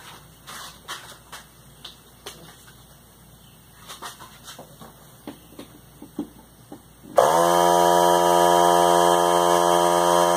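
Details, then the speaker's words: Central Pneumatic 95275 3-gallon oilless compressor (100 psi max), thrift-store find that didn't run, tested with a jumper wire bypassing the missing switch: a few clicks, then the motor starts instantly into a steady, even hum with air hissing out. It builds tank pressure: normal run. "but I saw by plugging the hole with my finger it was building that pressure and it's definitely hope you can hear that there's air in the tank"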